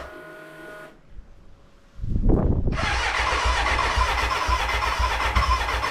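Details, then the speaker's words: BMW K100 café racer first start after rewiring, tank newly fitted and fuelled: pause, then starter spins with a rough burst of firing that never settles into a run, a cranking no-start; owner suspects the battery died and will recharge. "okay it kind of started kind of but I think the batteries stopped so let me recharge it and try it again"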